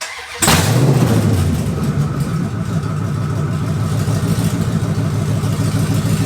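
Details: 2004 Dodge Ram Rumble Bee with a swapped 6.1 HEMI V8 from a 2006 SRT Charger, open headers: catches quickly and settles into a loud, lumpy but even rumble, no knocks or misfires; healthy start and idle.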